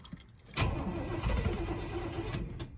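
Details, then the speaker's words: 1989 GMC Suburban V1500 4x4, sat on a ranch since 2006, first crank, starting fluid sprayed in: starter cranks briefly, then about two seconds of ragged firing before dying. Not getting fuel. "okay it does crank should I try and crank it just a little bit what is that noise should I try and spray some starting fluid in it just for fun I want to hear it bark off"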